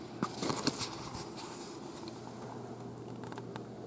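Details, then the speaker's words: BigBlue Cellpowa500 537Wh portable power station, pure sine wave AC output, running an electric fan: quiet, even fan whir over steady low hum with no buzz or growl, same as household mains; normal running. "はいウヨンとかしないよねこれが更新とと同じ状態で近いている正弦波だよということがこれ証明されています"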